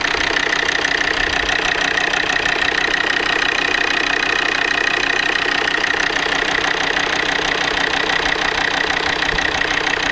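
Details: Volvo D5 diesel at cold idle: a sharp, regular knock about three times a second, steady in rhythm. No shop could identify it. Cold-start engine knock, source not pinned down.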